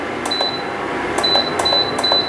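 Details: Induction cooktop control panel: four short high-pitched beeps over about two seconds as buttons set power to 600 and a four-minute timer; normal operation.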